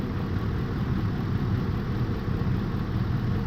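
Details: 2004 Ford F-150 5.4 3V V8, cylinder 8 misfire traced to a bad ignition coil during coil-swap testing: low uneven lumpy, loping idle that never settles, running on seven cylinders, engine shaking.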